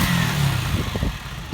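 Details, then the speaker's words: Honda CG125 single after a plug, oil, air filter, battery, fuel and carb clean and a valve clearance adjustment: a short burst, then it settles to a steady low thumping tickover with no misses or rattles. It idles fine. "she's just sitting on the row and ticking over quite nicely so now we know at that so here now we know the engines working fine and we're all happy with that"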